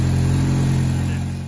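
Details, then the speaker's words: GM LSJ engine, first start after valve springs and cams installed with head on car: starts right up, smooth even idle hum with no valvetrain ticking or rattle, sounds correctly timed; normal idle. "got it all put back together started right up sounds good sounds like it's in time correctly"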